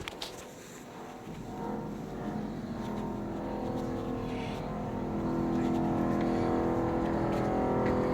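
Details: Loud motor drone in a bathroom with only the light on; unclear whether the fan or a compressor is faulty. It began suddenly yesterday afternoon, about five months after a leak repair there. Steady hum with a low swelling pulse.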